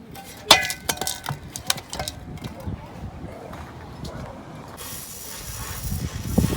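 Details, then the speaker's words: Mk4 stock exhaust resonator removed during exhaust leak repair, shaken by hand: loose metallic jingle with scattered uneven clinks; something broken loose inside the resonator. "So this is the old resonator here that comes with the car. You can hear that down there got the same jingle and it's like shock it like, you know what I mean? It's not supposed to sound like"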